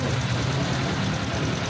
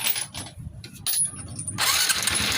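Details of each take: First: Honda RS125 FI after repairing the cam chain tensioner, whose spring had gone missing (tensioner bolt was opened by mistake instead of drain plug at oil change): steady, even low idle with no ticking or knocking; quiet and normal. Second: Honda RS125 FI after an oil change where the cam chain tensioner bolt was removed instead of the drain plug, losing its spring: brief crank then fast, loose ticking rattle over idle from slack cam chain; before repair.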